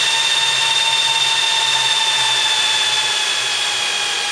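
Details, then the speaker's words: Supermicro X9DRH server in X-Case RM 200 Pro, 80 mm temperature-controlled fans: steady high-pitched whine and loud even air rush, fans spinning fast as the processor warms, later calming; normal. "slowly you'll start to hear the fans calm back down again when everything's good"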